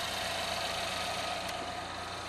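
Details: 2011 Chevrolet Equinox 2.4 Ecotec VVT, about 450-500 miles after new timing set and cam phasers, hood open: four-cylinder idles steadily and evenly, no knocking or rattling.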